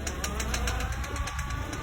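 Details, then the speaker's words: Rapid even clicking, about ten a second, over low engine rumble when the steering wheel is turned; suspected worn CV joint (homocinética), not confirmed. "Agora, sabe porque ela começa a fazer esse bendito tac tac tac na hora que você vira o volante?"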